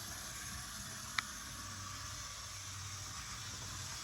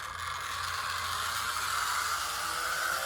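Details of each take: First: Vintage DC HO scale Jersey Central A unit locomotive run forward and reverse on track: faint steady whirr and hiss with low hum, even with no catches; motor runs smoothly. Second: Vintage DC HO-scale 0-4-0 model locomotive (RSO), with a motor drive rather than a rubber-band drive, runs with a very loud, busy whirring gear chatter and steady high buzz; noisy but a good runner.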